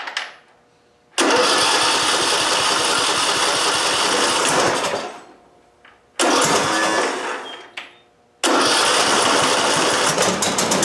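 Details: John Deere D110 lawn tractor after swap of a blown engine for a replacement, battery 12.5–12.6 V, running about 10 minutes: catches quickly, runs evenly, no knock or misfire; small smoke puff at startup only; slight valve noise suspected; normal start-up.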